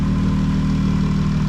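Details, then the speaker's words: 2012 Dodge Challenger 3.6L after workaround repair of balancer spun on crankshaft (loose crank bolt, sheared keyway) so water pump now turns: smooth, steady idle hum without ticks or knocks while warming to check thermostat opens; normal idle, no overheating expected. "I am going to let it run. Make sure the thermostat opens. Make sure there's no overheating issues, which now that we got water pump turning, shouldn't be an issue."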